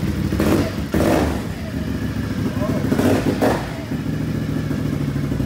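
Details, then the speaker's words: Once-flooded 2020 Can-Am XMR 850 after fluids flushed; earlier it misfired. Now it catches and settles into a steady low idle with no stumble, rain in the background; normal idle. "Hey it sounds a whole lot better it's not misfiring you gotta be careful with them nabis"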